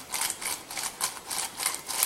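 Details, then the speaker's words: Suzuki Jimny JB43 old front wheel bearing, removed and turned by hand: rough gritty rasping, loose balls rattling with lots of play; worn-out wheel bearing, new bearing silent. "Alors, pour pouvoir comparer, ça c'est l'ancien roulement. On entend, il y a vachement de jeu. Les billes, elles sont mortes."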